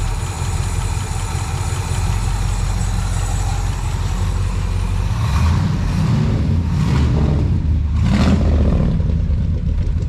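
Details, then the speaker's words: 1962 International Harvester C112 V8 with a rebuilt Holley 2-barrel carburetor and true dual glass-pack exhaust: idles evenly, then picks up cleanly on three quick throttle blips without stumbling. Running on all eight, carburetor working right. "beautiful beautiful running on all eight not a shake so we my Lord what a good running truck tonight this bad girl's got true dual exhaust with glass packs things awesome"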